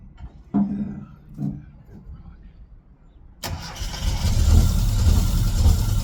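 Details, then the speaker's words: Classic Mini engine on its first start in 12 years, known to have low compression: quiet handling, then it catches first try and settles into a steady, even low idle with no knocks; normal idle. "Yes. That sounds so [ __ ] good."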